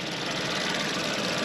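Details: VW engine after a water pump replacement, with no leaks, good coolant level, cabin heat working and hoses getting hot without pressure build-up: light, even hum of the warming petrol engine at idle, with no knocks, squeals or rough patches; running normally.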